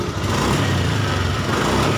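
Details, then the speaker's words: Honda Beat ESP scooter after faulty sensor replaced, fault codes erased and ECM reset; previously stuttered badly and stalled on throttle with no MIL blink: steady engine hum, no stumbling or popping, holds revs evenly and responsive; normal running. "kita hidupkan motor enak kemudian kita sudah responsif enggak kayak yang awalnya tadi ya"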